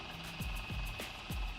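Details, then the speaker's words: Traxxas Slash LCG on a Venom 3S 20C 5400 mAh LiPo, 12 V, high-speed Mod 1 gearing, new Boca ceramic bearings: at power-up a light scraping rub about three times a second over fan whir, likely an unhappy cooling fan, then fine. "That sounds like one of the cooling fans isn't happy. but he's okay now."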